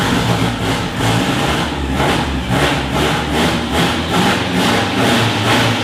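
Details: Mercedes M111 turbo engine, first start after correcting swapped fuel feed and return lines on the fuel rail: catches and keeps running with a throbbing pulse about twice a second; fires and holds, fuel now reaching it.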